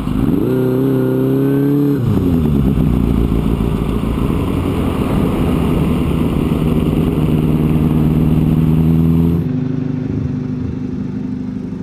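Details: 1983 Kawasaki GPZ-550 garage find after carb rebuild and tuning, Kerker exhaust: four-cylinder revs up crisply, smooth even drone through the pull, eases off cleanly; running healthy.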